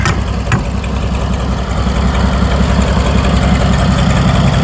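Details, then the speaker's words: Massey Harris 102 Senior (Twin Power) tractor, bought at auction, first run in 10 years, started on choke after checking oil and fuel flow: steady even low idle thump, no knocks or misses, starts well; 25 lb oil pressure, no charging shown. "sounds great um I've had it running before so I'm not like super surprised it starts really good"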